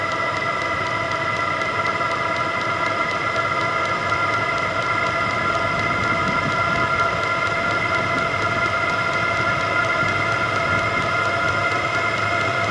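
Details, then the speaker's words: VEVOR 27,200 BTU diesel air heater (12/24 V) on first startup, igniter lit and warming up: steady, even roar of fan and burner with a constant high whistle and the fuel pump ticking into rhythm, no knocks or surging; running healthy. "so sounds like the igniter is taken off warming up the inlet is on the right Outlet is on the left of the hot air comes out and two pump getting more Rhythm"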